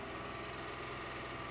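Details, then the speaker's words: 2006 Honda Accord V6, 205k miles, P0300, fails emissions; new plugs and coils didn't help, owner reports no oil use, tight or burnt valve suspected: uneven, lumpy idle from one cylinder dropping out; single-cylinder misfire at idle. "so it it does feel like a single cylinder misfire"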